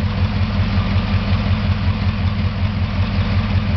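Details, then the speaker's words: 1956 Chrysler 354 Hemi V8 street-rod engine, stored since the early 1990s and run periodically for a month since its revival: a deep, even loping idle. The lifter that had been sticky and fluttering has freed up, and no valve-train ticking is heard. "i had one lifter on it that would flatter a little bit just a little bit sticky but as you can see with me running it periodically uh since then that lifter has freed up you don't hear it at all this time"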